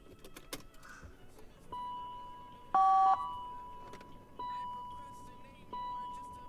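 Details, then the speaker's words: V12-powered BMW, started after adding 4.5 gallons of clean gasoline, battery was on a tender: short, thin whirring motor bursts repeat about every 1.5 seconds in the cabin. Broken rear headrest motors, noise not heard before. "Ah, the rear headrest motors are broken. That's what that noise is. That wasn't happening before, so I guess the battery was also pretty dead."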